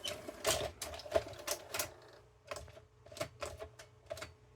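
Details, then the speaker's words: Late-1980s Mitsubishi HS-337UR VHS VCR, tape loading motor bogs down with irregular clicking over a faint motor tone and fails to load the tape; weak power supply or dirty switches suspected; loading motor bogging. "take it oh it just bogged down now it just I heard it clicking and it did didn't load the tape"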